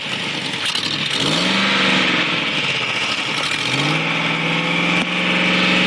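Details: 2004 Discovery that owner says sounds like a muscle car. A raspy ticking puff with a loud hissy edge quickens as revs rise. Exhaust leak; the exhaust manifold gasket was replaced.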